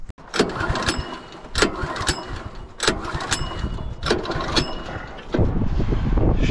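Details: Small petrol engine on a sawmill setup runs unevenly, with a heavy surge about every second over a ragged low rumble; rough running, cause unknown.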